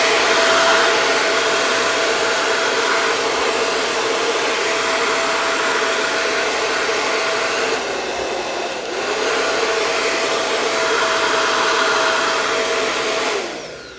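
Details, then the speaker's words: Taiff hair dryer that was noisy, locking up and smelling burnt, after the bearing was replaced: a smooth, steady whoosh and even motor hum with no grinding or rattling until it is switched off; runs perfectly. "amigos ficou perfeito tá o funcionamento é excelente tá"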